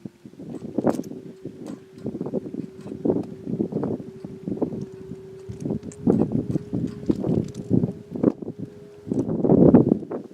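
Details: Steady mid-pitched hum from a railroad crossing gate mechanism, heard before and after a passing train, under gusty wind noise. Recorded February 22, 2019 at a rural crossing on the UP Villa Grove Sub near St. Anne, IL; cause unknown.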